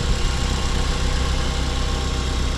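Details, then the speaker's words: 2010 Mazda 5 started after sitting about a year, idling to charge the battery; steady, even low idle with no misses, knocks or ticks and no smoke: normal idle. "Engine sounds good so far. Nothing seems to be smoking or anything like that."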